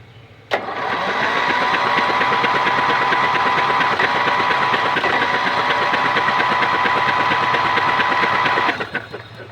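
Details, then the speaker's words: Yard Machines/MTD lawn tractor, 20.5HP Briggs & Stratton twin, spark plugs removed, starter powered from a car battery: fast, even whirring crank about three turns a second with no labouring; the engine spins freely without compression. "I've pulled out the spark plugs and I want to see if the starter will turn the motor now with the spark plugs out of course no compression it should be able to spin easily"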